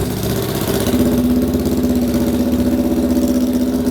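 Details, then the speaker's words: 1966 Honda CL77 305cc twin, 180-degree crank, free-revving to about 9–10,000 rpm, idling after kick-start on fresh fuel: lumpy, slightly uneven idle, steady mid-pitched drone about four thumps a second; healthy normal idle. "So one of the reasons I love this engine so much is it's a really free revving thing. I think it goes to about 9–10,000, and it's got a 180-degree crank, so it sounds gnarly and nasty."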